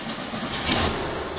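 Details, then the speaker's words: 1973 VW Super Beetle air-cooled flat-four with dual carbs, after the air filter clank fix: brief even hum with no clinking or clanking; normal idle. "tiny bit of gas and fire up increase the speed of the idle that's probably gonna settle down I hope to about 900 no clinking no clanking beautiful"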